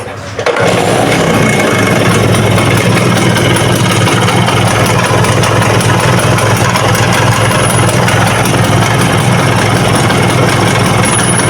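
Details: Vespa VBB engine at idle: fast metallic clatter throughout, worse when revved; owner reports noise on throttle and idle, head and block to be dismantled; piston slap from worn cylinder and piston.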